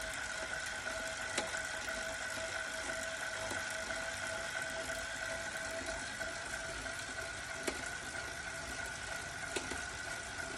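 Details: Wahoo Kickr Core indoor bike trainer: steady mid-pitched hum broken by sharp, irregular, intermittent pops every few seconds.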